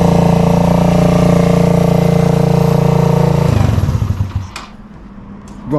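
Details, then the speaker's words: Rebuilt Suzuki GZ125 cafe racer/flat tracker with stainless exhaust, after nut-and-bolt rebuild: steady, even single-cylinder thump about three and a half beats a second, then clean shut-off; running sweet, normal running. "Running sweet, it's looking sweet."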